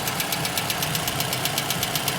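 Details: Toyota Camry XV55 2.5 at cold idle: sharp metallic ticking about eight raps a second, an engine knock that appears during warm-up and disappears or quiets once the engine reaches operating temperature.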